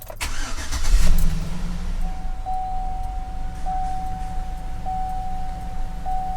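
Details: 2007 Chevy truck with code P0121, after throttle body cleaning and an idle relearn: settles into a smooth, steady low idle after a brief start-up flare. Actual idle now matches desired, and TPS dropped from 21% to 7%. Normal idle.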